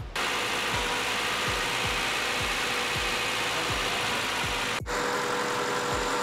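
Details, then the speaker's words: 1996 Acura Integra GS-R VTEC B-series after timing belt, water pump, seals and valve adjustment, on original spark plugs: steady idle under loud hiss with soft regular thump, earlier noise gone; cause was timing belt idler tensioner. "all right so as you can hear our noise is gone and that was really our main goal for doing all the maintenance"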